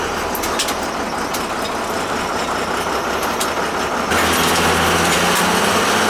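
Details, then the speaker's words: Boiler after circulator pump turned right way up and new burner motor fitted to cure whining; steady, even burner roar stepping up slightly, no whine or rattle, now quiet. "put a new burner motor in there for now it's quiet here"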